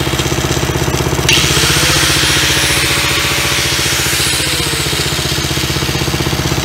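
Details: Old Dayton generator engine running after new fuel line, fuel filter and cleaned gas tank, oil checked: steady, even firing at about four beats a second with no misses or surging; runs smoothly.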